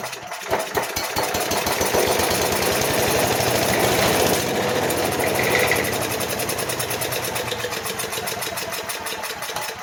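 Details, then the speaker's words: Craftsman/MTD 5 hp chipper/shredder, Briggs & Stratton 133412-0059-01, sat outside about 10 years, fuel poured into carb: cranks, catches, runs rough seconds, then dies; corroded carb not delivering fuel, bowl dry. "try it again as she starts up and then dies and we know that it's not getting fuel through the carburetor"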